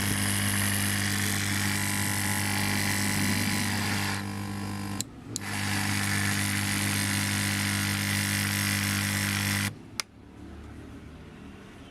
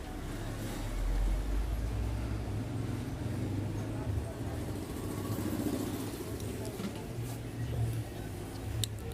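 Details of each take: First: Gas compressor (3000 G part) running: loud steady humming drone with fast even pulse, cutting out twice, far noisier than it should be; fix is opening both side covers and checking the inner magnet. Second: Noisy gas compressor (3000 model part) running after opening both side ends and removing the inner magnet: steady low hum, even rumble, no knocking; noise about 70% reduced, only a faint residual sound remains, machine working normally.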